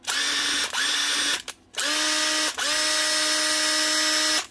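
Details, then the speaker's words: 10-year-old Makita DTD146 after a new armature and set of brushes runs in short bursts of clean, even high whir, no rattle or stutter; healthy, like a new machine. "like a new machine one new Armature one set of brushes and a 10 year old Makita DTD 146"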